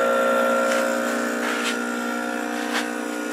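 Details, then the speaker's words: Freon recovery pump pulling a vacuum through the gauge set on a 1988 Jeep XJ AC compressor after recovering the freon into a bottle: steady, even mechanical drone of constant pitch with no knocks or rattles; normal running. "That's a freon pump, and what it's doing is it's pulling a vacuum"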